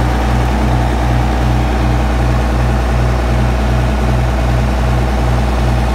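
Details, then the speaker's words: John Deere 7520 tractor, first start after 10 to 13 years stored in a shed, cab removed. Started on the first turn of the key after adding batteries, radiator water and fuel. Steady, even diesel idle with no knocks or misses. "Started with the first turn of the key, a few batteries, a bit of water in the radiator, and a bit of fuel in the fuel tank, and away it went. So very pleased."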